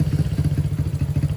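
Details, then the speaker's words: Honda CB100/GL100-based custom fitted with a CPO PE26 26mm carburetor on stock pilot and main jets, air screw and needle still being adjusted: lumpy, irregular fast-idle chugging. No intake leak is apparent, but the mixture is not yet right and it restarts poorly after shutdown. "kayaknya ini tuh udah enggak ada kebocoran ya barudak. Cuman memang masih belum normal kayaknya nih."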